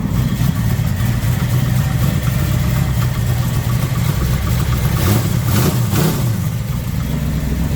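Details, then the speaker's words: Shortened custom Ford F-150 truck: deep, even rumble with a smooth brief rev around the middle, no knocks or misfires; engine runs healthy before a drive. "All right, let's go for a drive real quick. Sounds good as always."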